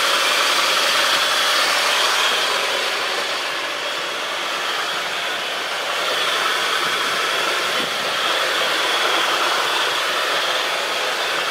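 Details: Mitsubishi Chariot (N43W) 4G63 turbo with the transfer and brake calipers fitted: a swishing, squealing whir of about 3 kHz near the right front wheel and the transmission/transfer area, first thought to be brakes. Cause still being investigated.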